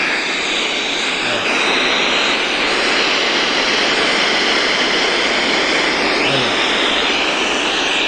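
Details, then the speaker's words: Bluetooth speaker in FM radio mode, the USB cable that serves as antenna not yet connected: loud, even hiss with no station coming through. "Olha, vocês escutaram o chiado? Aí lembrando, gente, eu esqueci. Desse compartimentinho aqui, ó. Você coloca aqui para servir de antena."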